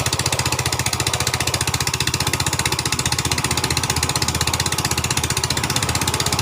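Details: 2010 Yamaha Vega ZR after repair of rough knocking engine noise (timing gear reassembled): steady even single-cylinder idle, about four pulses a second, no knock or rattle; normal idle.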